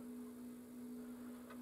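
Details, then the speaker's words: 3D-printer leadscrew driven by a NEMA 17 stepper for a DIY cylinder phonograph: steady low hum with faint squeak, louder in faster reverse, because nut and rod have no grease or oil; motor and bearings nearly silent. "there is a little bit of a squeak but that's because the nut and the rod don't have any grease or oil on them the actual sound of the motor and the bearings is actually almost silent and if i reverse it it's a little bit noisier and you can hear the squeak a bit more"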